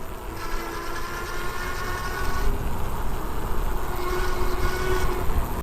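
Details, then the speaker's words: Super73-Z1 e-bike hub motor after fixing the hub motor noise and freewheel issue: steady, smooth electric hum with no clunking or squealing, as it should sound. "it's like butter all i hear now is just the home motor no clunking no squealing ah that's awesome"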